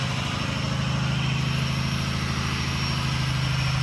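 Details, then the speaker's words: Ron's 6.0 Powerstroke diesel from South Carolina idling after first fire-up, still cold and being warmed up before driving so bearings and sleeves heat in: smooth, even low clatter with no knocks or misses; healthy normal idle. "I mean absolutely wonderful this sound it sound true drive here in a minute"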